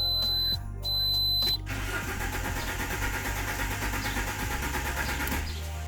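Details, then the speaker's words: Alfa Romeo 147 1.6 Twin Spark that cuts out in traffic and won't restart, same on petrol and LPG: chimes then even starter cranking about four seconds with no firing, rev needle not moving; crankshaft position sensor suspected. "And the one interesting thing is that when the car is turning over, you can see that our RPM cluster needle doesn't move at all, and that tells us that we might have a problem with the crankshaft sensor."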